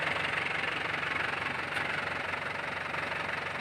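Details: Isuzu Panther LS 2008 diesel; even, steady idle clatter about four beats a second, no misses or odd knocks, and a hand on the body feels no vibration; healthy engine.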